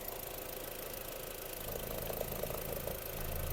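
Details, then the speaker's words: 2002 Skoda Octavia Tour 1.8T petrol turbo, 110 kW, 195,000 km, fully serviced; idles quietly and evenly with low smooth rumble, no smoke, misfire or knocks; healthy idle. "автомобіль завівся в співтику не димить не троїть працює тихо рівно"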